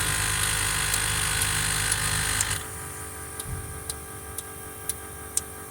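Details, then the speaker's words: Caterpillar C7 ACERT diesel with power loss, vibration and strange noise, electronic solenoid test: sharp even clicks about four a second, injector 5 coil click sounds wet and splashy, no effect; injector 5 must be replaced. "en efecto no hace ningún efecto el inyector número 5 y se fijan cuando tuvo la bobina Hace como un salpicado en este inyector"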